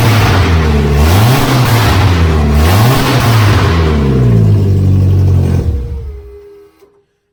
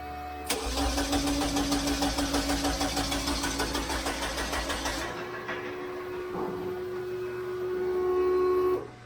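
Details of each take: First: VW Beetle revs up and down repeatedly, loud, strong and even, then shuts off. It now runs reliably after the long no-start; the alternator and throttle pedal work. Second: VW Beetle cranks evenly, about three beats a second, but never catches: no fuel delivery because the fuel pump relay gets no power. Ground was improved first; the owner suspects a low battery, and an earlier quick fire came from brake clean in the intake.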